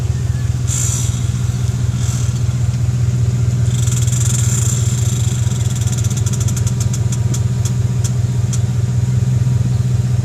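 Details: Subaru WRX while driving: steady low drone with a rhythmic pulse about 2.5 per second rising with road speed; owner suspects the axle though there's no play, brakes and dust shield checked. Noise while driving.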